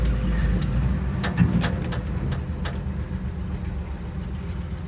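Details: 1971 Chevy C10 with a six-cylinder and three-speed floor shift, started on a cheap battery: a steady low rumble at an even idle beat, with no knocks or misses over yard background. Settled and charging, running healthy.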